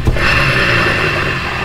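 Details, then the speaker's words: Yamaha NMAX V2 rear torque drive turned by hand: harsh gritty grinding with a thin ringing from the worn torque drive bearing, unlike a smooth good bearing; replacement bearing to be ordered. "Yan, napakalakas ng tunog nya mga boss."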